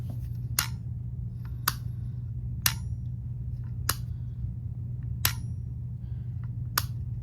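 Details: Old, removed circuit breaker compared with a new replacement; sharp loose clicks about once a second over a low steady hum, with internal vibration felt when handled. Something broken inside the breaker; replacing it expected to solve the problem.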